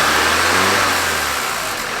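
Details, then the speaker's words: Free project car, engine reportedly needing rebuild or replacement per mechanics; oil dark but correct level. Revving then harsh metallic rattle over falling revs on deceleration, source unknown; sounds fine with no throttle. "okay so it sounds like there's a pretty harsh rattle on deceleration i don't know what that is definitely have to do a little bit of research but you don't give it any gas it sounds pretty good"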